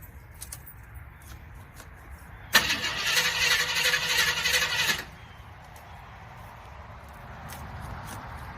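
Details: Jeep that won't start: about two and a half seconds of even starter whirring that stops without the engine ever catching. Cranks but won't start.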